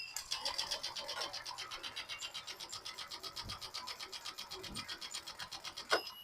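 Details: Honda Click 125i scooter hard to start or not starting at all: engine cranks at a steady, even rhythm for six seconds but never fires; weak fuel pump motor.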